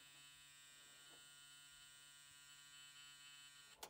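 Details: 1970s CommutaCar electric car first power-up, key turned: steady flat electric buzz at one pitch for about four seconds then cutting off; likely fasten-seat-belt warning buzzer, source unconfirmed.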